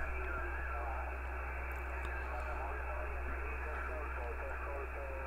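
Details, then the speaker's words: HAM International Multimode II CB radio after replacing capacitor C11 to fix VCO fault: steady narrow-band audio with faint distant European stations and low hum, no crackle or dropouts; reception normal, fault appears cured. "until radio seems to be working well a bit of European stations coming in no sign of our fault anymore let's hope it's a fix"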